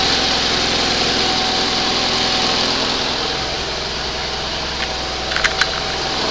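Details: 20 HP Onan engine running for the first time after a rebuild, started on the second attempt after a spark check; steady, even beat with a busy upper tone, no stumbling. Normal running.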